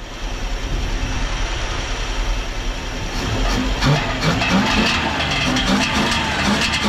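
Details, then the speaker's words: 1968 Dodge Charger 318 V8, sitting in a field since 1984, running after a distributor swap with new points and condenser; steady idle with an even low pulse, no knocks or misses, blow-by and smoke nearly gone: normal idle. "uh sounds good man nice Cruiser it's so quiet huh look it's not even smoking anymore"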